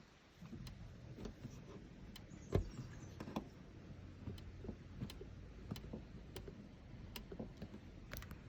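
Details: Ferrari 458 Spider while driving: sharp, irregular ticks and clicks about once a second from the folding roof over low road rumble; owner is seeking a fix.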